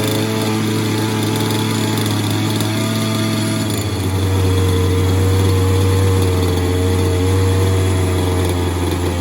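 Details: Falcon buggy two-stroke engine, first start attempt with choke on after fuel and plug work. High buzzing note picks up revs around four seconds and holds a clean, even run; engine running fine.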